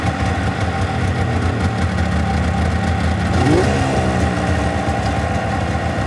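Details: Engine started after checking coolant levels: steady even idle rumble that owner thinks may be revving a bit high.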